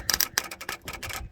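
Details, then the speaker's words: Ford 7.3 IDI diesel truck being torn down for a race build, most fuses pulled, quick disconnects in place: crisp, sharp clicks in quick bursts as the glow plug relay snaps on and off; relay cycling normally. "the glow plug relay coming on and off so that's a good thing"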